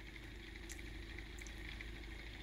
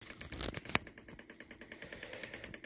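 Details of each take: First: 3D-printed pulse motor with a new rotor, after fixing the rotor lightly tapping the housing wall. A steady soft whir with only faint ticks, less clicking than before; runs smoothly and normally. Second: 3D-printed pulse motor with new rotor: sharp, even light ticks about eight a second over a quiet hum; the spinning rotor is slightly tapping the housing wall, to be fixed.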